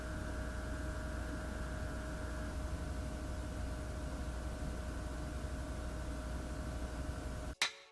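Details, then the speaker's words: Dell Optiplex PC running the Superposition benchmark at 1080p medium DirectX: steady fan whoosh with a faint constant whine in a quiet room, ending in a click; fans running normally under load. "I'm going walk out the room and then you'll hear how high these fans go"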